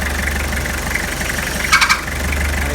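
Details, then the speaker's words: 2002 Toyota Hilux diesel at idle with the steering wheel being turned: constant high squeal over the idle; power steering pump was suspected, but the cause was a seized idler pulley with a failed bearing. "investigando eu achei uma polia lá embaixo tá tava travado o rolamento tinha estourado"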